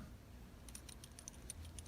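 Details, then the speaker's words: Abu Garcia Catfish Special baitcasting reel, new out of the box, moved by hand: faint uneven metallic ticks and clicks. It is a loose internal rattle from too much free play in the line guide and the anti-reverse bearing. "you hear this there is a metal rattle on this reel this met of rattle is not present on it's more expensive sister or brother"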